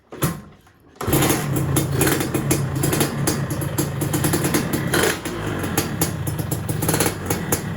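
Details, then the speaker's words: Two-stroke motorcycle engine, throttle blips: revs snap up sharply and fall back quickly, rising too fast. Mechanic suspects a crankshaft balance-weight problem or a slightly lean low-end setting; not confirmed. "kalau dari suaranya Pas digas-gasannya teman-teman suara pas digasnya itu cepat kayak mungkin e krikasnya sudah Bandulan atau emang settingannya juga agak kekeringan dikit ya untuk bawahnya"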